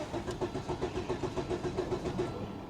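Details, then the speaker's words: 1997 Volvo 850 Turbo, 131,854 miles, likely sat six or seven years, charged battery: starter cranks evenly at about seven compression beats a second and turns freely but never fires, tach not moving; crank no start, cause unconfirmed. "I mean we know it ain't going to run but it cranks sounds healthy I don't see the tack moving at all"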